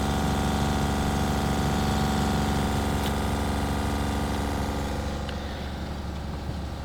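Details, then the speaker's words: Newly replaced RV water pump, city water off, faucet open: even buzzing drone with steady low hum and faint regular pulse; the pump runs smoothly and delivers water normally. "so now with the city water off i can open a faucet and we'll see if we get any water out water's flowing i think we're good to go"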